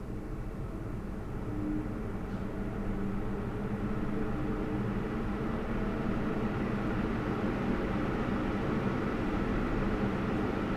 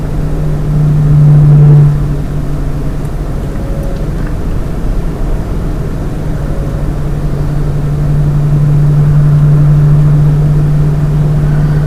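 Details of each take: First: Lian Li 217 INF PC case, CPU radiator fans at 100%: steady, even rush of air through the radiator with no high-pitched whine or rattle; normal fan airflow. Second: Lian Li 217 INF PC case with its stock fans, at 50% fan speed: a steady low hum at one pitch with a faint droning resonance. The fan noise and resonance persist even at 10% fan speed.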